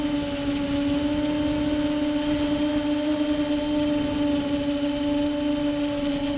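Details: Multirotor with camera tilted 15° down causing bad vibrations: steady high motor whine with strong tones and a rough, gritty edge; owner suspects ESC or motor bearings, unconfirmed.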